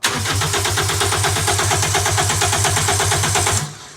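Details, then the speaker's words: Celica GT with swapped-in GT-S engine, fuel injectors disconnected, cranked to build oil pressure before first start: even, steady cranking at about five beats per second for three and a half seconds; turns over cleanly. "doesn't sound bad sounds pretty good"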